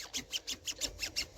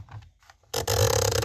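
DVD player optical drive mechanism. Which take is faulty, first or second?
first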